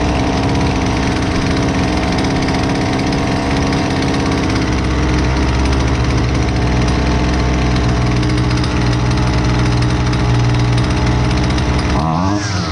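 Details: Husqvarna 128LDX two-stroke string trimmer, fixed after sitting unused: constant, unbroken buzz holding one speed, no stumbling or surging; runs properly.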